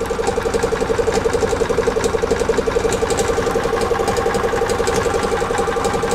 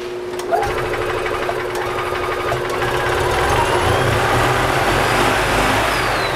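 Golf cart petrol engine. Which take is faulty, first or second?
second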